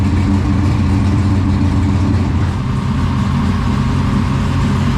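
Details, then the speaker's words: 1969 Camaro pro touring, big-block 496 previously broken in on a run stand, first start in the car with new exhaust, cutouts open: deep loud lumpy burble, steady lope; healthy normal idle and revs. "well there you have it guys the first startup on the 496 in the pro touring camaro"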